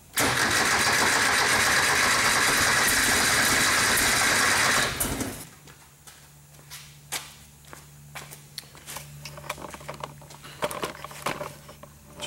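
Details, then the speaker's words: 1973 Porsche 914 with original fuel injection, throttle worked by hand: starter cranks steadily for about five seconds and it seems to want to start but never catches; fuel pressure 30 while cranking, dropping to 20 after. Crank no start, cause unconfirmed. "see there kind of wants to start but it doesn't it won't run"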